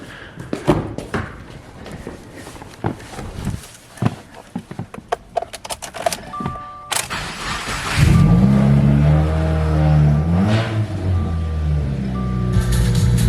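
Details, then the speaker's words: Modified 2017 Subaru WRX (aftermarket intake, headers, EGR and TGV delete, 3" exhaust), cold start after new spark plugs and cleaned, oiled intake air filter: a few clunks, then fires to raised steady cold idle, no misses or rattles; normal cold start. "Yep, that's a cold start up. All right, not too bad."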